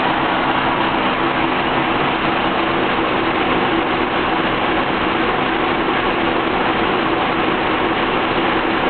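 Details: Engine idling rough with a steady hum and an uneven, lumpy undertone that never smooths out; vacuum gauge tested, cause not yet found.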